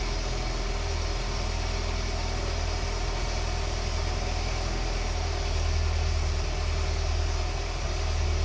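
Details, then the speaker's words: 1982 BMW 320i after reinstalling gas tanks, fuel pumps and main line, cleaning the injectors and fixing a vacuum leak. Smooth, even idle with a steady low hum and no knocks, misses or hunting: the nicest it has ever run. "that's that's a quickest and nicest it's ever sounded I'm a little bit shocked at the moment"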